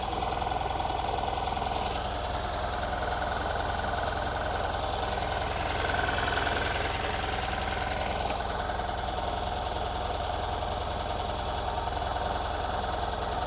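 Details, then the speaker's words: Ford Fiesta XR2i barn find off the road 14 years, cold idle on about 2 L fuel after restart: uneven beat about three pulses a second, stumbling now and then; misfire that later cleared on its own, not the plugs. "yeah it does sound all right but it is missing"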